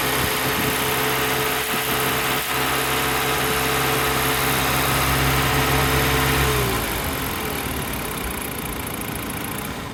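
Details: 2017 Dodge Journey: steady idle cuts out at engine shut-off, then a lingering hiss or whoosh continues for several seconds; source not identified.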